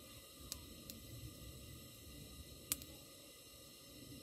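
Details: Barn-find Coleman 237 kerosene lantern, made in England, decades unused, running on original kerosene after pumping and lighting: soft, steady hiss with a couple of faint ticks, even throughout; burner running normally.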